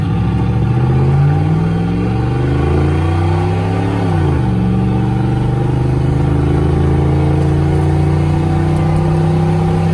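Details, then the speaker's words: Vortec 350 V8 (88-95 TBI) with HEI distributor swapped in, 0-60 run of about 10 seconds: engine pulls cleanly, note rising smoothly through the shift with no stumble or hesitation; normal acceleration. "Z to 60 baby come on and you can hear no hesitation at all so she's fine tuned baby come on stop again"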